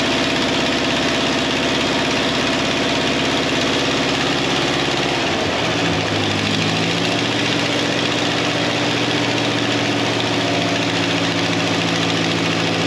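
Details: 1953 Ferguson TO20 tractor with a rebuilt Marvel Schebler carburetor, float adjusted and tightened to stop leaking: even, steady engine beat settling to a lower, smoother idle; sounds healthy with no knocks.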